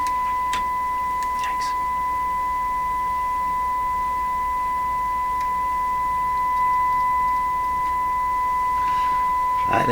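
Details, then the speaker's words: Westinghouse 981X shortwave receiver during IF alignment, signal generator set near 459–460 kHz IF, modulated at 1000 Hz: clean, steady 1 kHz tone through the speaker over faint hiss, the expected test signal. "we want it to be modulated at modulated 1000 hertz so that's what we should hear come out of the radio"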